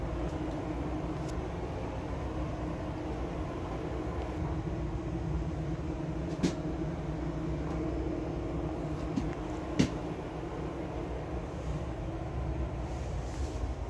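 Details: LG front-load washer after replacing bad drum rollers that caused knocking; quiet even low rumble from drum spinning with few light clicks, no knocking, new rollers fine.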